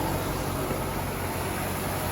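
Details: 2017 Nissan Rogue idling right after oil change with 0W-20 Mobil 1: smooth steady hum with even low rumble, no ticks or knocks; engine running normally, no leaks.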